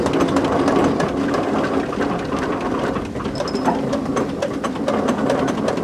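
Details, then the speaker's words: 1925 Ransomes steam traction engine, first public steam run: steady rhythmic clatter with a faint knock in the background from worn big end bearings the owners hoped would last; big end bearing knock. "So first public run today, a few little teething problems, nothing serious, kicking ourselves about the big end bearings, but if you can hear it knocking slightly in the background, but it's just, we thought we'd get away with it, but no."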